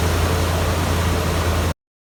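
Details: 1994 Ford Bronco with the 351W V8, after replacing the stripped idler pulley bolt and the idler pulley: a steady, even low rumble with no knocks or ticks. Smooth, healthy idle.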